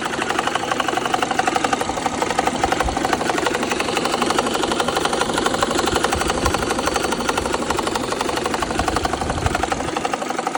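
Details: BMW N54 at idle: sharp, fairly even ticking/knocking at about four a second over a smooth idle. It follows a cylinder 1 misfire that seemed to stop after replacing that injector. No check engine light; cause unknown.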